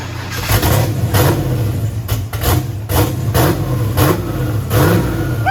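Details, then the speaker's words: Turbo LS Mustang built for 1000+ hp, new Aeromotive fuel system, first fire-up; choppy loping idle near 900 rpm with quick throttle blips, deep even exhaust, air-fuel ratio on the money; normal big-cam idle. "what do you think that cam sounds nasty that's like 900."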